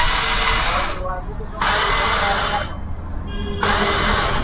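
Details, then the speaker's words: Hero Duet scooter self-start problem: short high whirring bursts of starter spin, about a second each, engine not turning over or firing; starter motor spins without engaging the engine, sometimes loud noise. "और कभी-कभी जैसे कि engine ही नहीं दूंगा साले खाने motor घूम रहा है"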